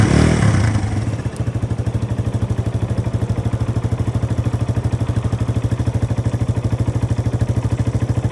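Steady low chug at about three beats a second, even and unchanging, the starter spinning the engine over without it firing.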